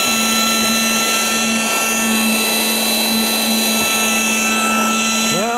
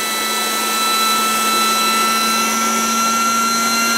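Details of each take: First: Battery-powered air pump deflating a Coleman air bed, after batteries put in upside down were corrected: steady, even motor hum with constant pitch and rushing airflow throughout; pump running normally. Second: Coleman air mattress being deflated by an electric pump that sucks the air out before folding: steady high motor whine with fixed tones swelling slightly as the mattress empties and the pump labours against suction, audibly struggling.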